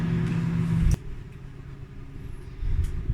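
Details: Samsung AMW8113W microwave after repair of a loud running noise, tested one minute with a glass of water: steady low hum, a sharp click, then a smooth quieter drone; the noise no longer occurs.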